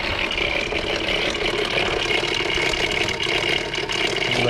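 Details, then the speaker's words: 2002 Volkswagen Eurovan with VR6 engine, after adding Seafoam: busy metallic rattle over the engine hum at idle, seemingly right over the manifold, going quiet when revved; rattle started suddenly, cause unknown, Seafoam didn't help. "so don't get when you rev it up quiet sounds pretty decent until it gets down to the idle and it's loud as heck"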